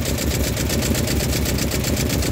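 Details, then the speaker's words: Toyota 5K engine in a Lite Ace, misfiring: rough lumpy idle with uneven thump; number four cylinder has low compression, should reach 150 psi; suspected broken piston ring or leaking head gasket. "Malamang ang problema niyan ay putol yung piston ah yung piston ring or kaya ay cylinder head gasket singaw."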